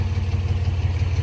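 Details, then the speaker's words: 90s GMC Typhoon engine fires right up but idles with low, lumpy, stumbling exhaust beat; exhaust manifold leak on the hard-to-reach side, possibly broken stud, needs replacing; misfire. "she fires right up but as you can hear it's got a stumble it's got a manifold leak on this side which sucks cuz this is the tough side"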